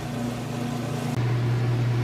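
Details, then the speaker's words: Whirlpool top-load washer with two-speed motor, heavy jeans and towels load, final top-speed spin: climbs and settles into a steady, even low hum with no knocking or scraping; spinning fast, healthy. "we're back into the final spin here top speed I'll go and lift this up and show you one that the lid switch works it's going to kick in and stop this machine but to that it is spinning nice and fast you can see here it sounds great"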